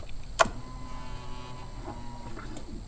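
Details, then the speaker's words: 1997 Harley-Davidson Road King (Magneti Marelli) after in-tank fuel pump and filter replacement: ignition cycled, click then quiet pump whine about two seconds with faint gurgles as air purges from the system. "You can hear it gurgling a little bit. Try it one more time. That sounded pretty good."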